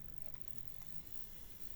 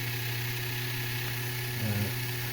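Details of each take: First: Jouef EMU 5154 model train, replacement motor with worm gear fitted using shrink-tube bushing, running on the bench: faint, steady low hum with no grinding, ticking or rattle; smooth and quiet. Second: Jouef EMU 5154 model train, original motor driving a spiky-toothed crown wheel, running on the test track: steady buzzing hum with a rough, wavering gear note; drive noisy, owner plans to change it.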